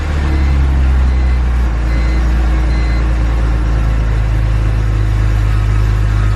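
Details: BMW E46 M3 idling just after an oil change and start-up: a deep, steady idle with a strong low rumble and even pulses, no knocks or ticks; the engine sounds healthy.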